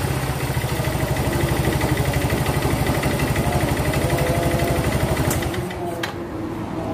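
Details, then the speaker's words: Yamaha Mio Z rebored a few months ago with a new block and piston set, arrived not running: loud, hard clatter at idle about three knocks a second, taken as piston slap and rod knock. Teardown pending. "Nah, terus sekarang kondisi motor ini bunyi kemelatak parah itu, kenceng suaranya, seperti ini suaranya."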